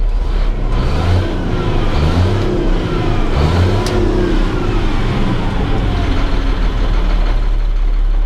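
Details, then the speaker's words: Caterpillar C7 diesel after replacing two bad injectors; climbs smoothly through repeated rev-ups and drops back cleanly, no misfire or knock; normal revving, check engine light flashing from a water temperature sensor needing replacement. "here I done started it once and it did start up and ran great there it is it's running good running smooth just like what we want I think sounds good running really good"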